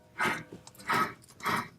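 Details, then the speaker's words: VW MK5 GTI rear wheel bearing spun by hand with the rotor and caliper removed: rough, gritty whooshes showing a worn bearing needing replacement. "you can hear just how much noise it's actually making also checking play in and out side to side top to bottom is another good idea"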